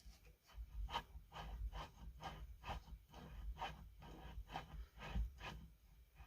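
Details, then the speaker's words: Chainsaw crankshaft turned slowly by hand during rebuild: dry gritty rasp about twice a second; judged a dirty bearing rather than a spun bearing, bearings previously felt fine; unconfirmed. "That sounds like a dirty bearing, not a spun bearing to me."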